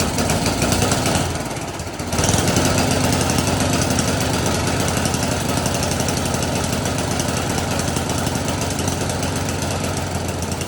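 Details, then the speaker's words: Snowblower after a no-start fix with the carburetor cleaned and reinstalled, started with a makeshift key: brief crank, catches within a couple of seconds, then a steady even chug with no stumbling; normal start and run. "Okay guys, so she's all back together. We're gonna use our new makeshift key and see if she fires up."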